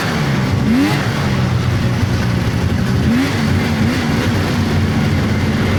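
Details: 1999 Polaris XCR700 triple two-stroke snowmobile, after adjusting belt deflection on the adjustable clutch: revs rise and fall with a rough rasp and no belt squeal. Jetted fat; clutch engages below 4,000 rpm.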